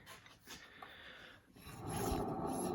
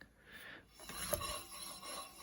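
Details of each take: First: 2003 Mazda Protege 5 rear wheel, hand-spun: a dry, gritty rolling rasp as the wheel keeps spinning freely, from a worn, dry rear wheel bearing. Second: 2003 Mazda Protege 5 rear wheel spun by hand: brief light brake-pad rub, wheel slows quickly, bearing quiet, a healthy wheel bearing.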